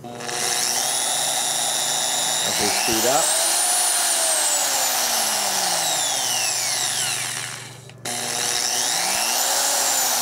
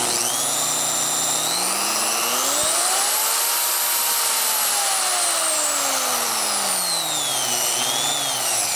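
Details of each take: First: Harbor Freight Chicago Electric 7-inch 10-amp digital variable-speed polisher/sander (#62297): high motor whine sags in pitch and climbs back twice; the sensor-based constant-speed load-sensing control doesn't hold speed steady. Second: Harbor Freight Chicago Electric 7-inch 10-amp digital variable-speed polisher/sander #62297, 1000–3500 rpm: clean motor whine climbing, holding, dropping and rising with speed changes; no grinding, motor runs fine.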